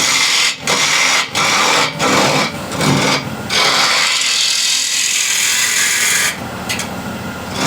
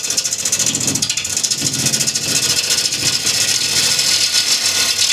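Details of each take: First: Bowl gouge peeling cut on an ash bowl held in the chuck on a Killinger KM 1450 SE lathe at 1200 RPM: steady, even shaving hiss with no rhythmic thump or chatter, no more vibration from the uneven screw-chuck surface, cutting smooth and true. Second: Wood lathe turning a cross-grain bowl with a bowl gouge, peeling side grain: hissing cut with a pulsing rattle, vibration from too heavy a cut; remedy is taking off less wood.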